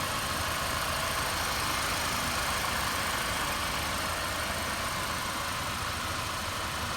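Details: Mercedes W212 E250 CGI after starter motor brush repair and starter refit, now starting normally with charging at about 14.33 V: steady, even idle with no stumble or misfire under a strong hiss; normal idle.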